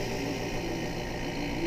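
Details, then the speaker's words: Inexpensive Chinese eBay vacuum pump evacuating a DIY jar-sealer chamber through an automotive valve stem: steady even hum with faint low buzz, tone changing slightly as vacuum builds; no knocks or rattles, pulling down normally. "now you'll notice if I pick this up the bottom does not fall off that means it's pulling a vacuum in this chamber the sound on the machine has changed slightly"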